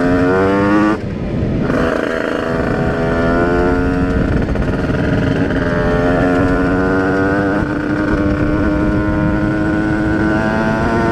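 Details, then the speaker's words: Rieju RR moped with tuned 80/85cc two-stroke, brand-new cylinder, 4% oil mix, on test ride: strong steady high-rev drone, even pitch, no misfire; normal running. "so by changing the needle and also having a 148 main jet I feel like it runs pretty good now and it's just insane power"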